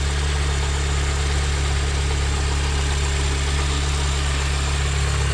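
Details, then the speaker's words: Mini Cooper R50 started after a full oil service, with a couple of minutes left for the oil to settle first: steady, even low idle with no misses, ticks or knocks over the hum; running fine, being checked for leaks. "so it's been a couple of minutes it's now gonna try it fire it up there you go good there's old"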